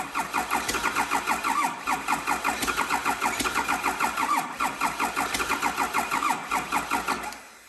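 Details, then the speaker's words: 12-valve diesel test-fired in a Squarebody F-350 super dually frame before clutch and transmission install, fuel shutoff held wide open: steady, even idle clatter with no misses or knocks, then clean shutdown; normal diesel idle. "I enjoy this next few seconds of this clip where the motor's running everything"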